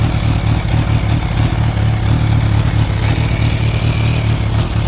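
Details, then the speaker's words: Kawasaki Ninja H2 clicking/clanking only at idle, fine when accelerating or shifting, clutch and shifting normal; uneven clicks over a low, lumpy idle, source unknown. "uh it only does it when it's on idle um so don't know what it is I don't know you guys know what it is let me know thanks guys"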